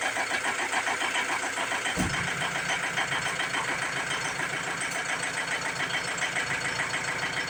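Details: Ford Transit MK7 2007 2.2 TDCi diesel, just after new injectors were fitted and lines bled: cranks and catches in about two seconds, then a lumpy, hunting rough idle; it still stalls, cause unconfirmed (fuel relearn pending).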